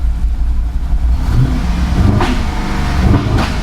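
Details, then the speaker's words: Cheap auction GMC Yukon revved: revs climb unevenly with a choppy, lumpy exhaust note like a lawnmower instead of a smooth rise; misfire-like rough running under throttle. "It sounds like a lawnmower."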